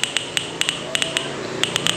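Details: Daihatsu Feroza distributor on the bench with new aftermarket CDI igniter unit: sharp, crisp sparks snap at an irregular pace as the distributor is turned by hand; normal ignition spark.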